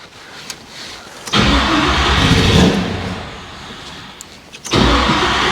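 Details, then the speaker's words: Chevrolet Monte Carlo, freshly built engine first start: catches and roars briefly, sags and dies, fires again, won't hold idle; oil pressure came up, owner suspects it needs more ignition timing. "Yeah, it's not. It's not firing. Okay. So, it feels like it needs a little bit more timing."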